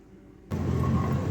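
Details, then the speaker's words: Car with an irritating noise while driving, front hubs removed and spun by hand: dull rough rumble with a faint ringing; left hub has heavy play and more noise, right less; worn hub bearing, left side dead. "Left वाला जो है वो उसके अंदर बहुत ज़्यादा प्ले भी और आवाज़ भी उसकी ज़्यादा है। लेकिन जो राइट वाली हब है उसके अंदर आवाज़ थोड़ी सी कम है।"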